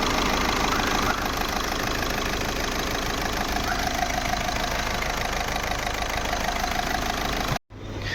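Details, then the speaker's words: Skoda Rapid diesel idling after a repaired injector was fitted for a misfire with blinking glow plug light and code P0204: steady even clatter, no misfire or vibration; fixed. "यहां प engine start है आप लोग देख सकते हो कोई miss fire नहीं है कोई वाइब्रेशन नहीं है"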